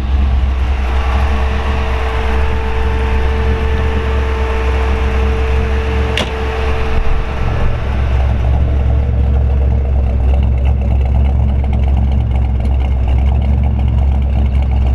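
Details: 1933 Ford Factory Five hot rod coupe, Ford 302 V8 with AOD automatic, 586 miles, started without touching the gas, water temperature 150, oil 50. Deep, even V8 burble at steady idle with no knocks or misses: normal idle.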